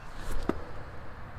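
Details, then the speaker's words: Trailer wheel after bearing replacement, spun by hand: nearly silent with a faint whir and no grinding, showing how a good wheel bearing should sound. "and here is what a wheel bearing is supposed to sound"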